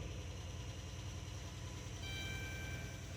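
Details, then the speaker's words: 2016 Dodge Grand Caravan 3.6 V6 petrol idling with an uneven, stumbling pulse, a pronounced misfire. The misfire is on cylinder 1 and possibly cylinder 6; cause still unconfirmed. "definitivamente está fallando se siente muy pronunciado"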